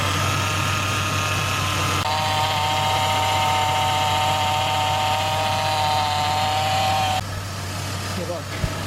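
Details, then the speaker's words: 2006 Chevrolet Impala 3.5L after replacing leaking, whining power steering pump, on stands with wheels turned lock to lock 5-10 minutes to bleed: engine idles steadily with faint thin tone, no groan; pump now quiet and working fine. "after 5 or 10 minutes of this, it finally quieted down, and the power steering is now working fine and quietly."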